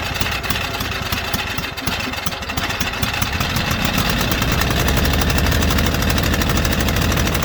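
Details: White Outdoor LT542G riding mower twin in a cold shop, running rough, drinking gas and putting fuel in the oil: loud and lumpy, it stumbles and surges unevenly and never settles into a clean beat. The carburetor main jet was found missing.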